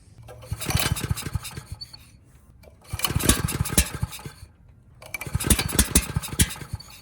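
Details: Ridgid 5700 generator's Yamaha MZ300 engine, reassembled after valve work, fresh fuel: three pull-start attempts of clattery cranking that die without catching; no-start caused by a sheared flywheel key.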